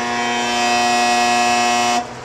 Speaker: Drew 102 amps trying to turn over. The compressor is locked up, no doubt because of the running it with not enough Freon in the system as a result of the cooling coil leaking.